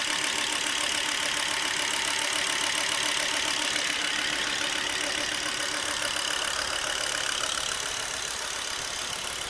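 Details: Volvo V70 2.5T at idle: fast, fairly regular light ticking, about three or four per second, riding over a bright hiss; the cause of the engine noise is undetermined.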